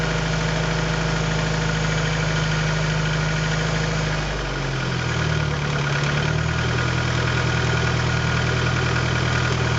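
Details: Honda B20A engine with forged pistons and internals, cold start idle: dull, uneven knock beneath the hum from piston slap.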